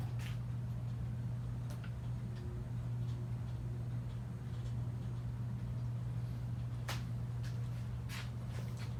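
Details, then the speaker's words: About 100-year-old Westinghouse "Baby Sidewinder" ceiling fan, style 393177, rebuilt with a new bearing, new power wiring and new blades, on a KB speed control at slow speed: low steady hum with faint drone and a few light clicks; runs smooth and quiet. "So this is the slow speed. Very quiet fan, actually, for being 100 years old."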